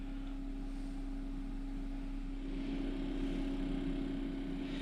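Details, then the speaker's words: 12V DC refrigerator/freezer cooler powered from a LiFePO4 lithium BMS Bluetooth battery through a 12V 14AWG DC plug adaptor. Its compressor kicks in with a steady low hum and constant mid tone; normal running. After 5 minutes: 13.3 V, 2.5 A, 31.9 W, 1% used. "I'll fire it up. You can hear the refrigerator motor kick in."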